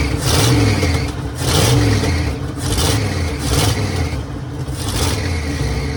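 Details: 1966 Mercury Monterey big-block Ford V8 after a fuel leak fix; lumpy burble at idle rising in slow repeated blips about once a second, pulling cleanly, "running like a top"; normal running with revving.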